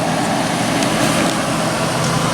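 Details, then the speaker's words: Curbside-found Hampton Bay (Whirlpool) BHDH2500AS1 dehumidifier just switched on: steady even drone with low hum from what sounds like a reciprocating compressor, refrigerant flowing, no knocks or rattles; runs fine, normal. "Runs just fine. Heard the gas start flowing through it. And the compressor has a nice startup sound."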